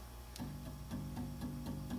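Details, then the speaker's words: Grand piano muffler rail install, setting throw distance and stop collars: a low note repeated about four times a second, each strike carrying a small sharp click as the hammer touches the back edge of the brass rail, before sliding the rail back. "We can hear it's clicking against it a little bit. So we're going to slide it back out of position a little bit."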